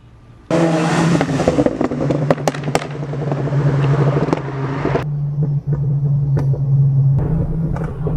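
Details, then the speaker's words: VW GTI MK6 at 140k miles pulling at full throttle: sharp irregular pops and bangs over the exhaust roar, with two sounds from underneath; a worn-out exhaust gasket with stripped layers was leaking and getting worse. "like exhaust leak you could even hear it when you go around full throttle you can hear two sounds coming from right under"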